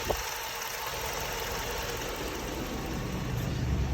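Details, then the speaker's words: Hemi 5.7 V8 after MDS lifter work, new radiator and coolant, at operating temperature: steady even low rumble with no knocks or misses; idling smoothly, everything looking good. "I got it to operate in temperature everything is looking good so far so good she's running so beautiful"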